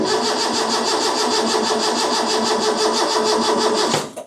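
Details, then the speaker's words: Freshly rebuilt Ford 300 inline-six in an '84 F150, first start attempt after rebuild with new carb: starter turns it over steadily, slow, about three beats a second, never fires; cranks but won't start, no spark found. "Tell you right now, it sounds like it ain't got no fuel. And it's She cranking slow."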